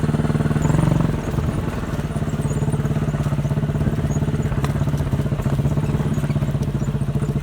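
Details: Chinese 200cc Honda-clone quad bike, warmed up after about 10 minutes of riding, choke half on: single-cylinder putter keeps dropping beats and popping unevenly, missing and farting, then tends to stall; misfire.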